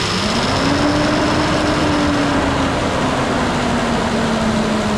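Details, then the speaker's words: Nissan Pathfinder VQ40DE after replacing all three timing chains, guides and tensioners; steady even hum with only faint smooth whine, no more click-clack, quiet and healthy. "well there you have it folks quiet as a church moue no more click clack"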